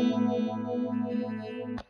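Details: MXR Phase 90 EVH pedal with a guitar: the earlier popping was caused by a low battery. Now on a power supply, a held chord swirls with a smooth, even phaser sweep, with no popping or dropouts.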